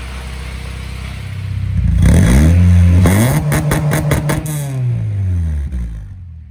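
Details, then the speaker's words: Honda K20A2 Type S swapped into EK Civic, first start after fixing a rotten fuel line: catches, revs in quick blips, settles to smooth idle; sounds healthy. "well the motors in and it starts and runs so that's pretty good"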